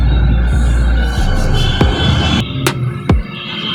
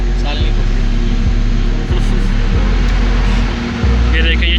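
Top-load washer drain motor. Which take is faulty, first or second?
first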